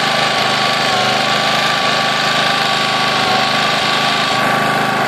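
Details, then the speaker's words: Honda EX800 generator after tune-up, running at 50 Hz on a vibrating-reed Hertz meter instead of the rated 60 Hz: steady single-cylinder drone with even, slightly slow beats; running underspeed, needs the speed turned up. "the way to tune these is with this Hertz meter so right now this is vibrating that little white square and that's telling me it's running at 50 Hertz"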